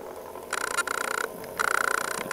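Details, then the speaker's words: Small DC motor on PWM control (SN754410 half-H driver, Basic STAMP) sped up by potentiometer: thin whine in pulsing bursts grows louder and steadier as speed rises; normal. "now to adjust the speed all you do is change the potentiometer"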